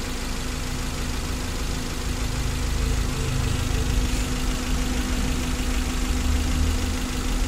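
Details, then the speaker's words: 2012 Suzuki Carry 1.5 injection after repair of an overheating fault with a corroded engine block, warm after about an hour running: steady, smooth idle with no surging or clatter. Temperature gauge stays normal; coolant no longer spurting. "dan mesinnya ini halus dan mesin ini Sudah sembuh teman-teman Sudah tidak mengalami overheat dan airnya itu sudah tidak meloncat lagi sudah tidak menyembur ke atas"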